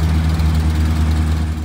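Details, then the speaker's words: 1962 Austin Healey Sprite Mark II, long-sitting, after priming the oil pump to cure no oil pressure: steady even low idle with smooth unbroken beat, no ticks or knocks; healthy running with oil pressure. "i'll let it pump oil make sure that it gets up all the galleys gets to the top of the engine lubricates the valves we definitely have an engine that we can work with here"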